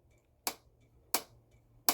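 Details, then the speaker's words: 2001 Jaguar XK8, engine off, during throttle cable adjustment: three sharp clean snaps as the throttle body butterfly plate springs fully shut to its retracted position, as it should. "so let's keep going with the repair now currently the butterfly plate inside the throttle body can retract"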